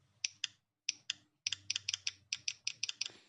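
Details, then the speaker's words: Passive buzzer (no internal oscillator) connected directly to DC, switched on and off: sharp dry relay-like clicks, no tone; normal for a passive buzzer, which needs switching above about 30–35 Hz to sound. "ये positive है और ये negative है। देखिए, सिर्फ एक जैसे relay की आवाज़ आती है, कड़क ऐसी आवाज़"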